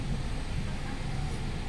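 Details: 2018 Hyundai Accent 1.4 after a rough-idle repair (before: RPM hunting up and down and stalling): low, even idle rumble with no surging or dipping, holding stable while warming up before a test drive.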